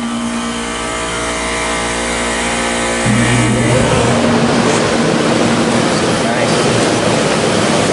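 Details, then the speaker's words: 1993 Comfort-Aire window heat pump, reciprocating compressor, cool mode, 81°F day: even compressor hum under a soft fan rush that shifts once early then holds smooth; blowing cold, purrs along, running normally. "That's nice and cold. It feels good. How high you can't even do it. Feels great. Purrs along."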